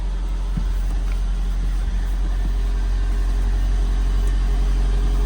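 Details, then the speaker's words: 1990 Toyota MR2, first start after sitting for a long time, with no working rev counter: deep, even idle with a smooth, steady beat and no misses, knocks or rattles, charging. Normal idle. "And it's charging. There's a runner. >> Sounds good."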